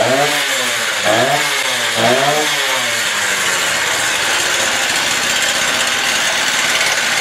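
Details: Stihl TS350 two-stroke saw, first cold start after engine rebuild at about minus 30, no air cleaner or filter yet: three quick blips then a raspy high rev, slight hesitation picking up; a small bog on acceleration; carb adjustments on hold.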